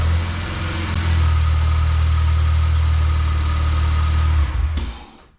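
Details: Honda J32 engine swap with Stage 3 clutch, upsized 390cc injectors and a retuned fuel map: deep, strong rev held steady and clean, then drops away smoothly at shutdown; crisp response, pulls hard, no misfire or knock.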